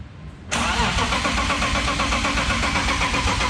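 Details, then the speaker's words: Boosted BMW E36 with a no-start, on a jump box after a new sensor was fitted: the starter turns the engine over with an even chugging, about four beats a second, but it never fires and there is no rpm signal; still cranks without starting. "all right so clearly that sensor didn't fix the problem i have no idea what the problem is"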